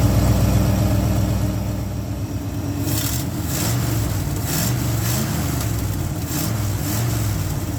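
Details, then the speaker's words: Old Ford F100 V8, ignition module fine, vacuum gauge on ported vacuum: deep steady idle burble, even firing with no misses or knocks; normal idle. "Runs pretty good."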